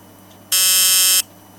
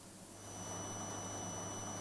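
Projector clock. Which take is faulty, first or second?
first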